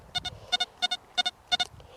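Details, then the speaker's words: XP ORX metal detector ground-balanced at 77, below the shake value: quick pairs of high chirps about three times a second with no target, chatter from ground balance set too low. "So if you're ground balancing on stubble, you're going to get false signals every time the coil hits the stubble."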